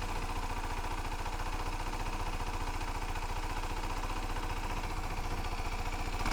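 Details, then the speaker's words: Used 125cc motorcycle idling, heard through an open section of fairing: quick, even, clean putter with no knocking or loud bangs, which is how a healthy 125 should sound. Normal idle. "this is how 12 125 should sound if it sounds any different than that if it sounds like there's some knocking in there some like really loud bangs going on in there walk away"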